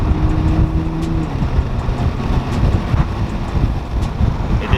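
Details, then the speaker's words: Toyota Supra cabin at speed (around 40-60) with windows down, before fitting AMS wind buffeting kit: deep throbbing rumble pulsing on and off, pressure felt in ears. Wind buffeting. "for a second that it went away but it's doing it on and off and i can hear it in my ears and these new pieces are supposed to stop it from doing the noise because it really sucks to not be able to ride with your windows down"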